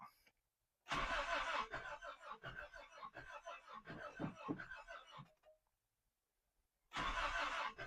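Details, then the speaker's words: 1986 Toyota pickup in park, cranking with a little throttle, compression 60 psi rear and 120 psi front cylinders: catches in ragged uneven pops, firing on about two cylinders, never settles and dies; low compression, won't run. "Hey, that sounds somewhat decent. It's trying to hit on 2 cylinders at least. She's not going to do it."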